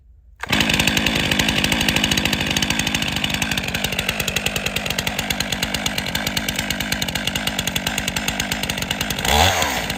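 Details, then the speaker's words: Chainsaw leg-lock start with chain brake engaged: fires on the pull and holds a fast steady two-stroke buzz with a brief blip near the end; starts and runs properly. "leg lock chain breake engaged immobilized the front of my left knee behind my right knee pulling in the orientation of the starter"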